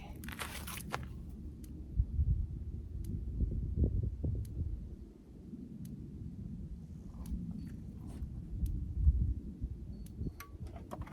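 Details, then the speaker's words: Normal pulsing of a Country Way electric fence charger from Rural King on a T-post for a pig paddock: faint sharp clicks about every 1.5 seconds over footsteps and rustling, showing it works. "I can hear it clicking, so I know it's working."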